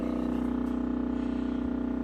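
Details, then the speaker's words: LG refrigerator: steady low hum with faint rapid flutter, begun about five hours earlier; owner thought it came from the door and says it sounds like a motor going out, though the fridge is still cooling. Cause unconfirmed. "if you open the door and stop sounds like a motor or something like that is went out or something such as that LG refrigerator"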